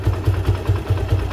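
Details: Suzuki Gixxer Monotone 155 single-cylinder motorcycle idling evenly with the auto cam chain tensioner refitted, a low thump about five times a second with no hiss; with the tensioner opened it hissed.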